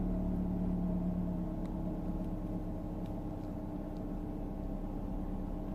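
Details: Mercedes W124 E220 M111.960 after oil and filter change (had oil pressure falling to 0 bar when warm), cold: smooth steady slightly high idle easing off, oil pressure looks right; normal cold idle.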